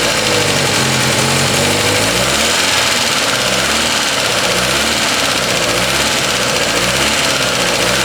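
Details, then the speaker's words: Classic car engine, which used to sputter on light throttle, now blips up and settles back cleanly with no sputter. A raspy hiss comes from an exhaust leak. Clean throttle response. "Before you used to sputter when you just touch the gas. Now it's clearing out. Real good."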